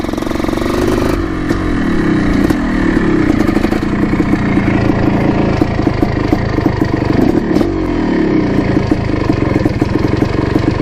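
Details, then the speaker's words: 1987 Yamaha YZ 490 two-stroke after fix, test ride: crisp note revving through gears with clean pickup, no bogging; sounds much better and cleared out, though clutch is slipping slightly. "things sounds much better definitely cleared out a lot more"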